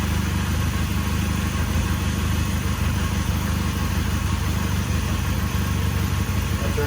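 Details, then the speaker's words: 1999 Honda Rebel 250, first start after about 16 years, carb full and oil in cylinder: single cylinder on choke running steady but lumpy, dies once choke is off; idle set too low, needs bumping up. "the choke off. Of course it died. I need to bump the idle up."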